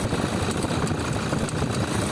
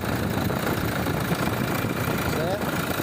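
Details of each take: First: Toyota Hilux SW diesel idle with uneven rattling chatter from the belt drive, caused by the alternator pulley slipping. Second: Toyota Hilux diesel idling after replacing a slipping alternator pulley that made noise at the belts: steady, even rumble with no squeal or chirp; the noise has stopped.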